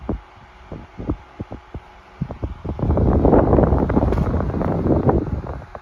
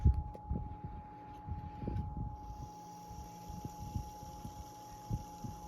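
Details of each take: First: 1975 Toastmaster DeLuxe 12-inch oscillating table fan 7310 after 3.5 µF 450 V capacitor replaced, on high: few soft ticks, then even quiet air rush with low steady hum, 1100–1200 ft/min airflow; running normally. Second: 1975 Toastmaster DeLuxe 12-inch oscillating fan 7310 with a replaced 3.5 µF capacitor, cold. On low speed it shows a steady faint motor hum, more audible than on higher speeds; owner suspects it fades as it warms.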